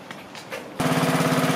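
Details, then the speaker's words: Small engine after fitting a new carburetor with a 3D-printed TPU gasket: catches and settles straight into an even steady low putter at slow idle with no popping or missing; no air leaks, smoother than the old carburetor. "that's slow idle so we're going to hear air leaks are popping that's where we hear it nice and smooth much smoother than the other carburetor was in there"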